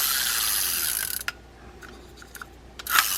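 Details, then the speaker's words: Cardinal 953 rear-drag spinning reel in for service, handle turned to check; quick run of crisp ratchet clicks then light ticks, a little noisy but normal gear and pawl sound, override working. "That seems to be working okay. We have the override. A little noisy, but they're always kind of noisy like that."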